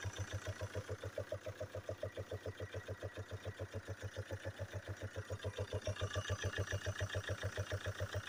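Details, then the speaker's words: Chevrolet Captiva/Antara (Winstorm) 2.0 diesel idling, knock fades once warm: sharp, even valve-train knock about 3.5 per second. Teardown found worn camshaft journals, worn rocker and a dropped rocker arm; camshaft and rockers need replacing. "а вот и причина как я и подозревал распредвал сточенный шейки все потеряны 4 сточенный даже коромысло рокер выпало"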